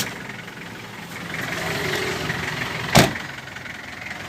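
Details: 1996 Toyota Mighty-X pickup, 2L 2500cc diesel, easy start without glow: steady diesel clatter at idle with even rhythm and no misses, one sharp bang partway through; seller says engine strong; normal healthy idle.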